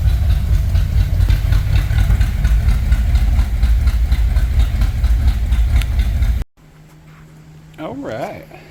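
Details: 1964 Ford Thunderbird after stuck-valve repair and top-end rebuild, idling about six seconds on old oil as the oil pressure comes up, then shut off. No clicky clatter from the top end; it sounds really nice.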